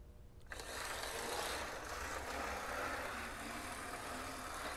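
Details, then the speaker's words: 1980s Amtrak Bachmann model locomotive fitted with Life-Like parts, running forward after repair: buzzy, uneven motor whir with faint irregular catches, keeps seizing going forward, happier in reverse; rough running and seizing. "to be a lot happier going in reverse keeps seizing going forward well now it's running forwards i don't know this is a very confusing engine"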